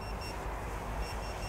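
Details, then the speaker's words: AOS 7 seven-inch quad on INAV 4.0, forced failsafe test with transmitter switched off, windy and cold: thin high beeps in short repeated bursts over wind; failsafe responded within a second or two. "i can hear it beeping up there oh pleased with that that took about a second or two to respond when i turn the transmitter off"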